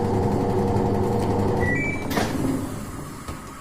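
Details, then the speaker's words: Samsung top-load washing machine after capacitor replacement, spin started with drain motor running: drum turns with steady motor hum fading as it winds down, no grinding or straining; spin normal. "So ಈಗ spin ಆಗುತ್ತೆ. Friends, ಈಗ ನೋಡ್ಬೋದು, drum ತಿರುಗ್ತಿದೆ, ಈಗ spin ಆಗ್ತಿದೆ."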